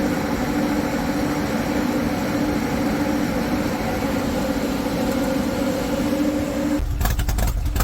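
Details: High-mileage Harley-Davidson M8 V-twin with S&S 129 Power Plus kit, big injectors and kit cam, on dyno after tuning: steady, even drone, constant tone, no knocking or rattle, then a burst of noise; normal running, 136 hp, 154 ft-lb.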